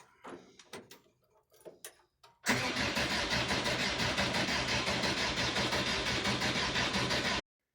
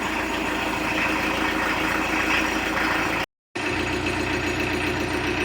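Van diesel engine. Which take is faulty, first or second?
first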